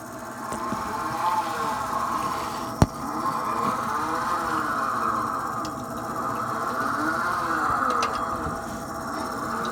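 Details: Thelin Gnome pellet stove made before 2009, running on low or medium: steady whirring whine with pitch rising and falling in slow sweeps; stove won't work on high; suspected struggling auger feed motor.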